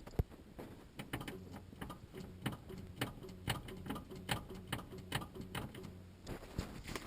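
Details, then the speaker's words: VJ Valiant first start attempt after sitting 25 years in a paddock, full tank; repeated sharp clicks, two to three per second, no cranking; starter suspected stuck, to be knocked or removed. "sounds like the start is stuck we might try and knock that and see how we go"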